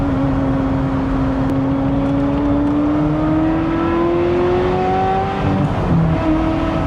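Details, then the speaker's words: Ferrari 355 V8 during inspection, revving: pulls up smoothly with a clean, even exhaust note and no knocks, ticks or rattles; only the right noises, sounds healthy so far. "Well, so far the only noise I hear making is the right ones."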